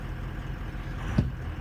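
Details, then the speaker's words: Diesel truck with EVP sensor unplugged during diagnosis, warm at 91 degrees oil temperature: low, even idle with no rpm jumping or surge heard; revs sit steady. "look now it's not doing it I don't know if you can hear it but it's not jumping in rpm now"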